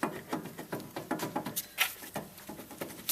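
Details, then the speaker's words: 2007 Dodge Charger R/T with 111,000 miles, wheel and brake rotor off: rocking the bare rear hub by hand gives irregular dry clicks and light clunks, a worn hub bearing; replaced. "clicking clunking movement so that's bad"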